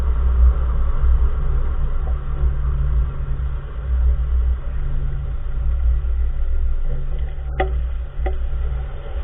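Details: 2014 Nissan March while driving: steady road rumble with a couple of sharp single clunks from the front wheel area; the source part is unidentified, and the owner asks what part the clunking comes from.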